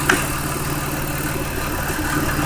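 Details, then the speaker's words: 2004 Mazda6 with swapped-in 2006 Ford Fusion 3.0 V6 (61k miles) after PCM relearn: steady, even low idle with no misses, stumbles or knocks; earlier misfiring gone, running smoothly. "I can't compl because all the problems that it had before of misfiring and all that are gone"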